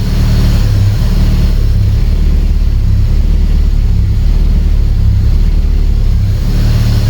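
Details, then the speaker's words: Walter's RSX, cold start with wideband gauge fitted: loud deep engine note surging unevenly; mixture goes so lean the gauge pegs, runs badly cold, needs more fuel added at startup. "so on startup this thing goes crazy lean it just pegged the gauge out wouldn't even read so we're gonna have to add some fuel on startup because it it runs pretty bad when it's cold starting"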